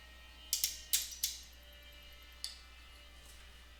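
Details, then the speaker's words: Ameritec AM-48 transmission test set, drawing about 1.8–2 A and not staying on, reassembled and powered up: a few sharp clicks in a quiet room as a relay pulls in and drops straight back out instead of latching. "and it sounds like we still have an issue I hear a relay clicking on but uh not staying"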